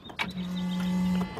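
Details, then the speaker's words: 1997 Mercedes-Benz E320, 119,000 miles, crank-no-start, after new camshaft position sensor and frayed wire repair, fresh battery, key cycled on; steady low electric hum about one second then stops, fuel pump priming normally. "just heard the fuel pump and the fuel system activate, and cross our fingers."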